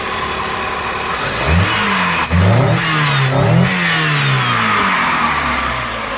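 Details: 1996 Chrysler Voyager 2.4 petrol after repair, fuel pressure at 3 bar: the engine picks up cleanly through several quick blips and drops back evenly with no misses or stumbles, revving smoothly; the faulty injector was identified as the cause.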